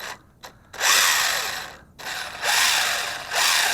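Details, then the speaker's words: ZD Racing 10421-S 1:10 4WD RC car with 3300KV brushless motor, 45A ESC and 2S LiPo while driving: bursts of harsh, high-pitched grinding rise and fall with each wheel spin-up. Drivetrain fault suspected, not confirmed. "not sure this one is as durable as the other one of we're 23 cuz I'm it's making weird noises here"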